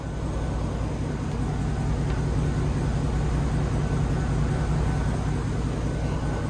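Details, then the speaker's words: 2007 Chevy Tahoe V8, coil-on-plug ignition: slightly rough idle and misfire with no codes, traced to a faulty ignition coil; after the coil fix it idles smoothly and evenly on all cylinders with no stumble. "and she is running much better so we just diagnosed and fixed an ignition coil"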